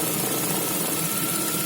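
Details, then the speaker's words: Lada Vesta with Valeo clutch, about +2 °C: steady petrol idle with clutch pedal pressed, the clutch-disc rattle heard near the belts disappears; not pistons, not harmful. "Все, он нажал, стук пропал. То есть никакие поршня, ничего тут не гремит, не стучит, стучит именно диск сцепления."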